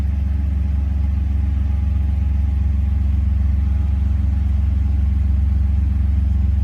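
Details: Steady low engine drone with an uneven, irregular stumble in the beat now and then; random misfire.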